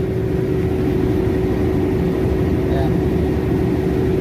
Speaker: previous ah oil pressure coland temperature Ayan oh o pressure colan temperature sobrang init overheat